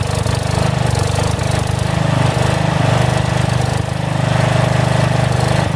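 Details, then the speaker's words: About 35-year-old log splitter refreshed with new pump, valve, filter, rebuilt cylinder and hoses, swapped-in 12HP single-cylinder engine: fast thumping surging slightly every second or two; governor hunts a little, owner suspects carburetor needs adjustment. "the only problem right now that the governor hunts a little bit on the engine I don't know if 30 carburetor maybe it needs an adjustment"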